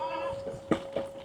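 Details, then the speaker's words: Aniioki A8 Pro Max dual hub motor e-bike ridden off-road: three sharp knocks over the motor whine on rebound, not bottoming out; rider believes the front forks but isn't sure. "Still hear that knocking noise, which I believe is the forks. I'm not sure. It's not them bottoming out. It's like when it rebounds up, it makes that noise."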